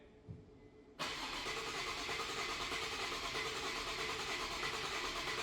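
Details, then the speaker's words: 2008 Infiniti G35, no start a month after another shop's engine work: even cranking at about three turns a second that never fires. Spark and injection are believed present; cam-to-crank timing correlation is suspected. "uh we haven't uh checked a lot cuz I'm pretty sure there's spark there's uh injection uh cuz the car tries to start at a point uh we going to crank it"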